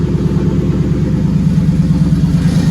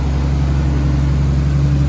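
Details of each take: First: Nissan R33 RB25DET Neo: an uneven, stumbling, lumpy beat near idle, about three pulses a second, as oil pressure drops and the engine starts dying. The power steering pump also seemed to be failing; a cylinder dropped out and the engine was shut off. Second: Nissan R33 RB25DET Neo with solid lifters: deep, steady, even idle with no ticking, squeal, hiss, exhaust leak or timing belt squeal; normal idle.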